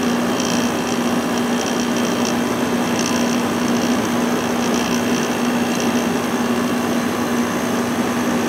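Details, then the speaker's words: Probably late-1980s Emerson Quiet Kool 6,300 BTU window air conditioner, possibly Fedders-made, just started: steady low compressor drone under even fan rush, no rattles, already cooling; rated 5.9 A, drawing about 4.7 A at 118 V. "it's already getting nice and cool foreign this air conditioner is rated at 5.9 amps"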